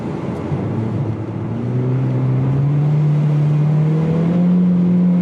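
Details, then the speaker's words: 2020 Mustang EcoBoost with a built engine (forged pistons and rods), performance cams and a tune, revved at light load: a smooth, rising drone with no knock. Knocking appears only past half throttle under load and boost. "I'm up here just keeping the load down you don't hear it it's when you get past that half throttle is when you hear it"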